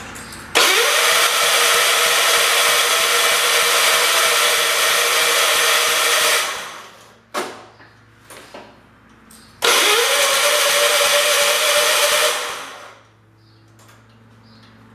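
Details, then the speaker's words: John Deere 212 lawn tractor, engine previously caught on the starter: two long cranking spells with the starter spinning steadily while the engine barely catches, firing only when extra fuel is added; fuel delivery suspected, not confirmed. "they throw a little bit more fuel into it it wanted to"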